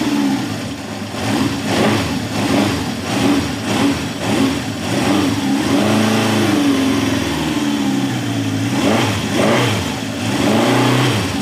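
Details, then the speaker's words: 1971 Honda CB750 K1 four-cylinder, original survivor, about 18,000 miles, very hard starting, needs carb work; cold start with choke backed off, idle set when warm the day before, revs surge and sag, won't settle; poor cold running, cause not yet found. "choke does I know it's cold but it just does not want to run I have the idle set from yesterday when it was warmed up so it you know it should be pretty it should run"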